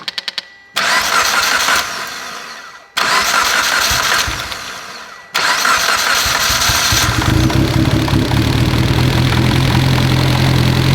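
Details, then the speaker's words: Mitsubishi Evo engine, previously knocking, after the cams were pulled and a bad cam gear was found and the cams reinstalled; two cranking bursts, then it catches and settles into a steady, even idle with no knock. Sounds healthy. "hell yeah that thing's healthy that sounds good that's a healthy son of a [ __ ]"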